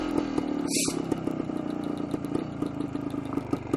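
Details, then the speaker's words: 1973 Suzuki TS250 Savage two-stroke, a survivor bike on its first ride before restoration: over a steady idle the tachometer gives a sharp, regular click about four times a second. Cause unconfirmed; the neutral light is dead because of a previous wrong or disconnected battery. "don't know if you can hear that, but the tachometer is going click, click, click, click, click, click, click."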